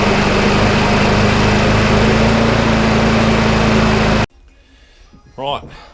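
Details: Small walk-behind lawnmower single-cylinder engine, long-stored job-lot machine revived with spare parts, first run on slow throttle: steady, even beat for about four seconds, then cuts off; sounds healthy.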